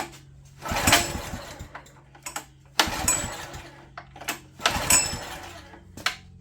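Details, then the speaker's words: Old Honda EG1400Z open-frame generator after new spark plug, choked: three pulls each catch for a second of ragged firing then die, won't keep running unchoked; sounds good when running, carburetor issue, jet possibly plugged. "Jet might be completely plugged. Alright. Well, she runs good, sounds good. We just have a carburetor issue, which we figured we had."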